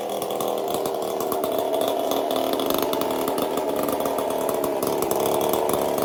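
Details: Chainsaw fitted with a 372 carburetor, repaired ball-bearing detent and a copper-wire choke, test run after repair: steady high buzz with even firing, no surging or stumbling; running clean and healthy.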